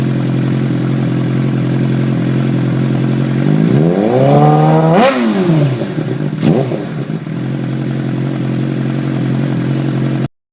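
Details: 2006 Suzuki GSX-R600 after M4 GP slip-on exhaust installation: steady idle burble, one quick rev climbing and dropping cleanly, then shutoff; normal idle.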